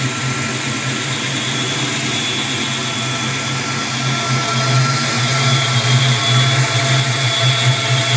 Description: This is my 92 mustang whistling while at idle, not sure if its a vacuum leak or not